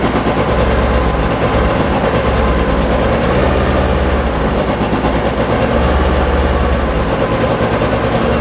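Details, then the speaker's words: Porsche 911 2.8 RSR build engine, first start after a no-spark problem, ECU being tuned remotely: lumpy, uneven, stumbling running; owner plans to check individual header temperatures. "it doesn't sound happy but it's running"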